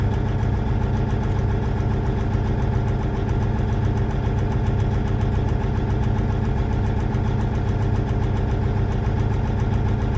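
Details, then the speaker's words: Versatile 2360 tractor, Cummins N14 diesel, cylinder cut-out test via scanner: cutting cylinder five makes no difference to sound or rpm, heavy lumpy idle thumping about once a second; dead cylinder five from a failed injector. "So, there's no difference in the engine, the way it sounds on cylinder five. So, that's a good indication that we've got something going on with that number five cylinder."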